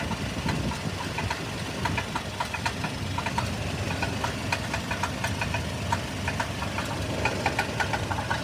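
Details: 1997 Toyota Tacoma at idle: rapid sharp metallic ticks, several a second, scattered over a steady idle, a clear rattle; owner is unsure whether it is a bad catalytic converter or engine knock.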